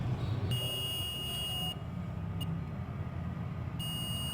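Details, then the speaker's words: Mobile phone ringer tested with a digital multimeter on buzzer range, reading 008 (good range 8–12). Two clear steady high-pitched beeps, each about a second, over low background rumble. Good continuity; ringer is fine. "देखो यहाँ पे जो इसकी value आ रही है 008 और plus beep की आवाज़ भी कर रहा है, तो मतलब कि ये रिंगर हमारा सही है।"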